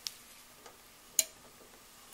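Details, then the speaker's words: Wall A/C unit thermostat, sensing bulb warming: a few sharp light clicks about a second apart in a quiet room; thermostat switch snapping over as bulb warms, working normally. "You heard that just click a minute ago. As the end of that bulb warmed up, the thermostat clicked. See, now it's clicking."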